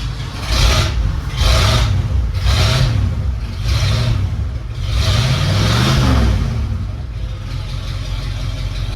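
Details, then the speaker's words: 1978 Ford truck old V8, jump-started from van battery with choke pulled: catches after cranking, revs rise and fall unevenly then settles to steady running; normal start. "She's a runner, she's a track star."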